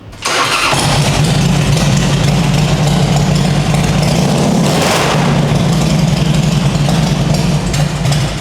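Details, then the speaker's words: Carbureted Harley-Davidson, choke pulled for a cold start: fires immediately and holds a strong, even low-pitched idle on choke with no stumbling; normal cold start. "Kalau gua tarik cuknya dia kayak gasnya kayak ditahan. Oh. Oh. Untuk manasin setelah udah panas, udah anget ya udah suaranya kayak begini."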